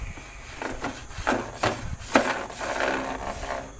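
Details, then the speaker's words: Portable AUX air conditioner with cover opened and unit stripped, noisy running complaint: uneven scraping and rasping bursts repeat over the running unit; the blower fan, missing its screw, is rubbing against something. "Masalah dia ada bunyi geseran."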